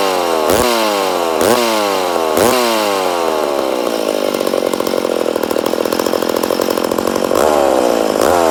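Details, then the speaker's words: Rebuilt McCulloch Super Pro 80 chainsaw on its first start after the rebuild blips three times, then holds a high screaming rev that won't settle; it has good compression but sounds lean, and the owner suspects a small air leak, probably a crank seal. "she definitely coming up on compression but looks like we got a little bit of air leak it'll probably be a crank seal"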